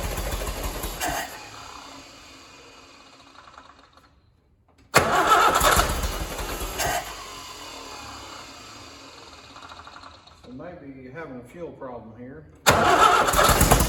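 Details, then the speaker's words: Allis-Chalmers WD tractor engine, first start after rebuild, oil pressure checked and rockers oiled: bursts of cranking, then it catches and runs at a fairly regular beat; starts and sounds decent, though fuel is leaking from the rebuilt carburetor, possible float issue. "all right well looks like i might have a few little kinks here to work out on it but she started up sounded pretty decent"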